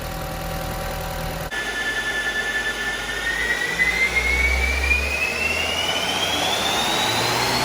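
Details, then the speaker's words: Audi TT with 229,000 miles on the dyno after fixing air leaks in hoses to the DV and servo hose and fitting a new dipstick tube: clean, steady pull with smooth rising whistle, no hiss or stumble. Healthy under load. "Let's try it on the dyno. See if we've got any of them horses back. Well, that sounds better."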